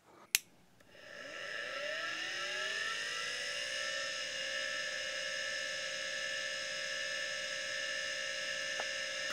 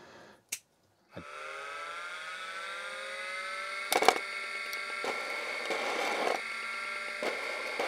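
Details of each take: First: 1987 MFM hard drive: click at power-on, spindle whine climbs and settles steady, brief quiet head-seek chatter (likely voice-coil positioning), no weird noises; normal healthy spin-up. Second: MFM hard drive pulled from a 286 clone, already suspected dead, run again after its motor was removed and manipulated: rising spin-up whine, then irregular scraping clicks and rough bursts from loose internal parts rattling; the drive is marked bad.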